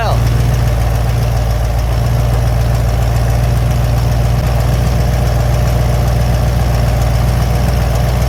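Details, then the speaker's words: 1970 Cadillac Eldorado V8 idling after a manual choke conversion and work on the rusted-through choke stove plate. A deep steady rumble with a soft, uneven puffing tick: the exhaust leak is reduced but remains, plus a leak at an elbow. "Still has an exhaust leak, but it's a lot less than it was."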